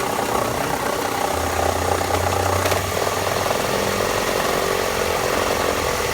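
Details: 2000 Toyota RAV4, about 130,000 miles, at idle: a light, loosely timed tick-rattle of about three per second over a steady idle; the source isn't pinned down.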